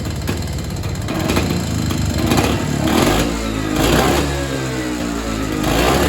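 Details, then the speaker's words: Evinrude Bobcat 25hp two-stroke snowmobile sat 20+ years, carburetor diaphragm stack reinstalled after fuel was looping back to the tank; revs rise and sag unevenly and won't tune, owner suspects an air leak or hardened carburetor diaphragm needing a kit. "The Bob Rat isn't running the best. I can't really tune it. So, I'm suspecting either air leak or that diaphragm that was hard in the carburetor's probably giving us trouble and I'll need to get a kit."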